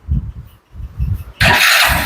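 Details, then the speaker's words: Hero Glamour 125 BS6 motorcycle at 23,000 km, after replacing the failed cam rocker and a bad bearing on the silencer side. Uneven low thumps settle into a soft, steady putter with no top-end ticking: healthy, smooth like a new bike. "देखिए start हो गया और इसका sound देखिए तो friends आपको बता the इसका साउंड जो है एकदम मक्खन के जैसा हो गया जैसे नया गाड़ी का जो साउंड होता है वैसा हो गया"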